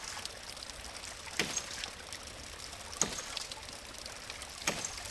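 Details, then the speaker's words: 1" ram pump with a cracked pressure-tank cap that let all the air out: sharp water-hammer cracks about every 1.5 s over trickling water, drive pipe cracking and bouncing; the pump is hitting hard with no air cushion. "well now that crack has become a lot larger and there's no air in this pressure tank and so the system is hitting really hard"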